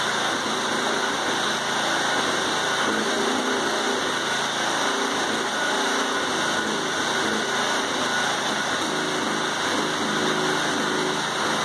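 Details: 1980s Honda rototiller, first start in about 10 years after a cold start on the second pull: steady, even small-engine run with no misses, knocks or surging; normal running.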